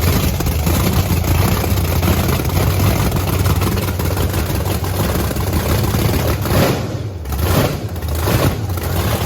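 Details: Blower V8 Camaro on methanol after fuel nozzle cleaning: deep, steady, lumpy rumble with brief blips near the end, pulling cleanly; sounds way better and healthy.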